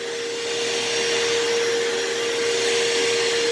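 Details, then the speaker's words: Partly repaired vacuum that is very hard to push: a steady high motor whine with a rough airy rush that sounds strained. The motor runs with better suction than before but still needs more work. "yeah motor still needs some more more work but i mean it is working it does have a lot better suction than i used to"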